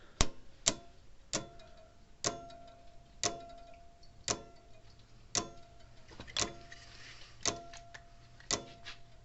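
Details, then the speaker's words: Old Sears mechanical electric fence charger after its contacts were cleaned with solder braid. Sharp snapping clicks about once a second with a faint crackle; the points still arc as they snap together. "oh yeah see it's still arcing on this little content it snaps together there's a little arc coming from it"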